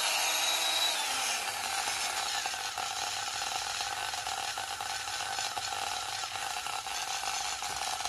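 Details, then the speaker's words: Proxxon rotary tool found in trash, after new cable, resoldering and new bearings, running free at full speed: high, buzzy motor whine with uneven rattling texture, pointing to a worn carbon brush; owner suspects sloppy soldering or a mechanical issue. "Okay, much less noisy than the equivalent Dremel tool, which is great, but I'm still not 100% satisfied with the sound it makes."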